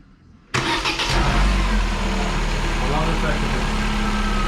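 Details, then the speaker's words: Car that stood a week without starting, fuel pressure holding, battery and starter good: starter catches at once, fires cleanly, settles into smooth even idle; healthy cold start. "No current draw, battery's good, starter is good, and it sounds good. That does sound very good."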